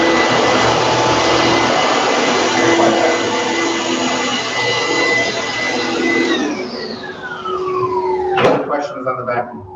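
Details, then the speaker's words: Pacific upright vacuum, just reassembled with cover plate refitted: steady high motor whine over even airflow rush, very quiet, then pitch glides down at switch-off; motor running smoothly and healthy. "The vacuum is also very quiet, so turn it on."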